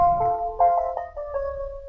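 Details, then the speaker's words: Fiat 500e electric at power-on: short melody of bright bell-like, ice-cream-van-like notes with no mechanical noise behind it; normal startup chime. "here's the first love it or hate it will you like the ice cream van sand as it starts"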